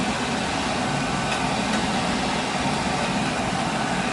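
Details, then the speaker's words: Gas conversion-burner boiler with Taco circulator after purging air from the zone that had lost pressure: steady, even burner roar with no gurgling, rattling or pump whine; noise gone, running normally. "Yeah, so there was air in this line. I purged out the zone, and now there's no more noise."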